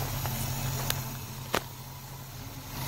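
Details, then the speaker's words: 1963 Cadillac Coupe DeVille V8 heard at the exhaust, first start after about 10 years, carburetor rebuilt, gravity-fed fuel. Deep idle with a slightly lumpy beat and a few sharp clicks: rough idle and misfire. Owner says seven and a half of eight cylinders are firing. "let's go back to the exhaust section and she's grizzly he even has a tumbleweed done by the exhaust just oh it sounds like she's trying to get going a little bit there"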